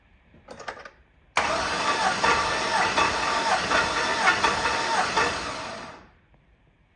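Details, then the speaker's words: Twin-turbo Silverado compression test, plugs out and fuel disabled, five cranks on a late cylinder (7 or 8): a steady starter crank with even pulses near two per second. Reads 180 psi and the whole side is even; healthy. "probably don't need to crank it five times but I like to be consistent anyway"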